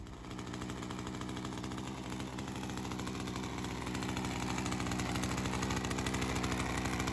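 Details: Ryobi CS30 two-stroke string trimmer, HiPA aftermarket carburetor weeks after install, slightly readjusted after settling in, ethanol fuel sitting in it: steady even idle about three pulses a second, rising slightly; holding up. Normal idle.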